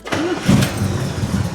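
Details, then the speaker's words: 1975 Corvette with new starter that had kept contacting the flywheel, after adding two 1/16-inch shims under each bolt between starter and block: clean quick crank catching straight into a steady run, no grinding or sticking; normal starter engagement. "Two 1/16th shims underneath each bolt between the starter and the block. She's dialed. Starter sounds good."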